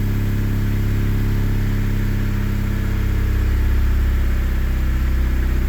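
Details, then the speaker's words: Honda Prelude restarted after the intake was refitted following a loose injector nut that sprayed fuel. The idle sits high and hunts unevenly; the high-idle warm-up screw may be raising it, and the engine isn't running well for unknown reasons. "you're supposed to test it at idle because there's a high idle screw thing so it will jump your idle up to warm up the car but we'll see it seems relatively consistent doesn't sound to be running very well but there's no telling why"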